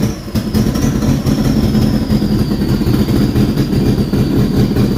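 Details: Subaru Brat with WRX engine swap, revived after a seized AC compressor threw its pulley, cam sensors cleaned: low, steady idle rumble with a faint even pulse and no knocks or misses; normal idle.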